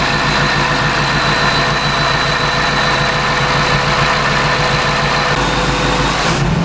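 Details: Shelby Mustang GT500 (13-14) supercharged, after intercooler pump replacement and supercharger oil change fixed no boost; strong steady idle with faint constant whine, no knock or stumble, running clean.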